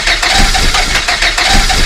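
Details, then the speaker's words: Volvo 480 engine, just reassembled after dying almost immediately after starting, cranking with uneven chuffing and clattering about three times a second, never catching; the same weird sound recurs, cause unknown, wiring to be checked. "Well, that didn't work. And that weird sound again."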